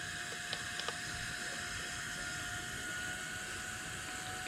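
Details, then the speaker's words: Twin-turbo Subaru Forester with new fuel pump wiring, relay jumped and engine off. A faint, steady high whine from the electric fuel pump running; base fuel pressure reads too high. "so when i turn the battery on over here it should just pump hopefully i don't burn anything yet can hear the pump going we are too high wow"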